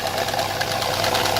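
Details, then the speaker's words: Opel Vectra A at idle: fast, even tapping that keeps time with engine speed; the intake valve is under-opening because the eighth camshaft lobe is worn and pitted, and a camshaft replacement is being considered. "уже идёт у него недостаточное открытие Но пока ещё клапан ходит"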